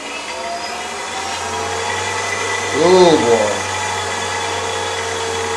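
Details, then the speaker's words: AC induction motor on an inverter/motor controller, steady hum and whine with one brief dip in pitch that climbs back as slip control operates; normal slip control speed regulation. "so there we are now you can hear the way the motor speed drops very slightly and then spins up again that's the slip control operating"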